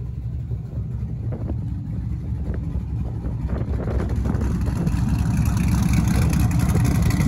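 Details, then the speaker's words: Test drive in freezing winter weather after rebuilding a rear differential that whined from day one. Smooth, even drive noise rises with speed, with no gear whine: the rebuilt rear end sounds healthy. "She's on the ground, baby. And she sounds healthy."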